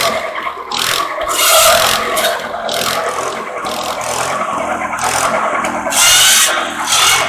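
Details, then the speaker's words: Antique buzz saw rig powered by a Wisconsin THD air-cooled engine, revived after sitting unused for years, mouse nest removed and cylinder airflow improved, cutting sawmill slab wood: steady engine pull while the blade bites in rough scraping bursts, holding speed without bogging; successful test run. "so well i'd say that was a successful test run and uh of the thd wisconsin um wisconsins are great little motors very uneconomical they burn a lot of fuel but they're a great motor run run forever if you take care of them"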